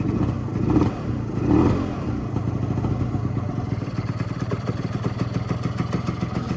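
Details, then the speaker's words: Honda Dio 100cc scooter, first start after a bearing replacement: slow, uneven idle with loose irregular thumps, close to stalling; the idle speed is too low and needs raising slightly. "за малі обороти треба дати чуть-чуть чуть-чуть більш"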